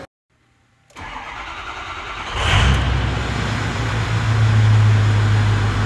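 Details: 6.0L diesel after fixing a no-start caused by a damaged IPR valve: cranks briefly, catches cleanly, flares, then settles into a steady diesel idle with no stumble; starts and runs normally.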